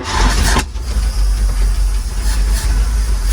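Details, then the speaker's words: 1948 GMC COE truck started after many years sitting, premix poured down carburetor venturi, choke partly closed; cranks briefly, catches with a sharp burst, settles into a steady even low rumble, sounding healthy but carburetor needs cleaning. "Yeah! Wow, she's a runner! Woo! Hey, I'll tell you what, it sounded healthy. Sounds pretty healthy, but definitely needs a carburetor clean out, some work."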